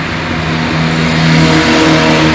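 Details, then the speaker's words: Chevrolet Onix 1.4 automatic LTZ after its 40,000 km service and timing belt replacement, warm after a 14 km test drive: steady even note rising smoothly with throttle, no knocks, misses or whine. "Motor ligado aí, ó, tudo funcionando certinho. Perfeito."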